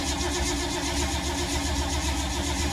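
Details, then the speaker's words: 1952 Ford, sat for months in rain and moisture, possibly flooded, about five minutes of cranking so far: starter grinds steadily with no firing, a long dry crank; cranks, won't start, owner suspects points and condenser. "This thing's been sitting so long, so much rain, moisture. Wow, 5 minutes of crankage and nothing."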